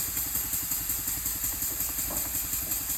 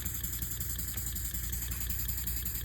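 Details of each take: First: Elmer's #33 model mill steam engine run on compressed air at about 20 PSI via regulator, first test run after final assembly; steady chuffing about three beats a second over constant airy hiss; air leaking at cylinder head and packing nuts. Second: Elmer's #33 model mill steam engine on compressed air at about 2–5 PSI after new steam chest gaskets and repacking, soft, even puffing with no hissing; much quieter, only a slight leak at one fitting, running normally.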